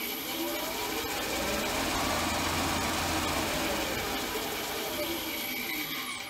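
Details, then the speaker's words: Upgraded small milling machine running forward, with an emergency stop and DRO fitted: steady run with busy, chattering drive-belt noise at about four beats a second; the belts are a little noisy. "and then uh the belts are a little bit noisy here so it might be a bit noisy"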